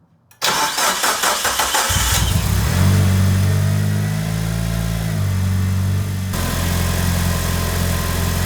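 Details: Mitsubishi Evo (Tommi Makinen edition), restored 2019, after injector electrical testing and DIY cleaning fixed jammed injector 3: quick crank, clean start, brief rev, then smooth even idle with no misses despite old fuel.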